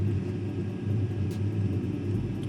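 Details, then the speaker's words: Eberspacher Airtronic diesel air heater on second start after blowtorch burner cleaning: steady low burner roar with even fan hum, no knocks or surging; a little smoke at start quickly disappears, running normally. "yeah I think you can hear it the bump is starting yeah there is a little bit of smoke but right after it's starting the smoke is disappearing"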